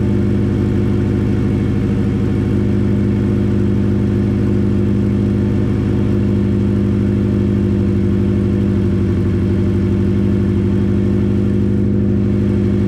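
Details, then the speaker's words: Subaru Impreza with no exhaust fitted, idling up to temperature after refitting the gearbox that had brought on a knock: smooth, even idle with no knock or rattle, engine sounds healthy. "so classified up now it's got up to temperature it does sound nice it's purely nice"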